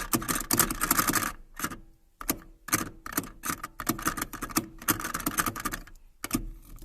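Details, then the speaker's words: Opel Omega A 2.0, passenger (right) side cabin knock over small bumps: quick uneven light metallic clicking and rattling, no engine; cause found to be seat belt buckle/latch rattling in upper position, quieter when bent lower. "Ось цей замочок, фіксатор ременя безпеки, власне, і видавав оцей звук. І в цьому була вся причина."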